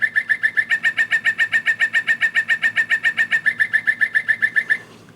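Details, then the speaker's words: Singing bird clock with a faulty movement: even chirping call about three and a half times a second, harsh, buzzy and digital-sounding, lower tones broken; the bird sounds are distorted. "Maybe there's the lower tones are really weird. See how that it's kind of broken? I I don't know. Very digital sounding."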